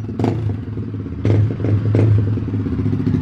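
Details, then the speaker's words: Twister 250 with restored Fortuna sport exhaust, muffled: deep low single-cylinder rumble with a couple of throttle blips, soft and muffled, no rasp or hiss. "olha aí rapaziada a diferença bem abafado sim galera muito top"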